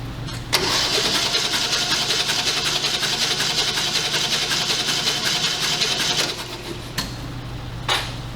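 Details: 1980 Ford Fiesta with old, oil-soaked spark plugs and an ignition coil found sitting loose: steady, even cranking at nearly three pulses a second for about six seconds that never catches, so it cranks but won't start.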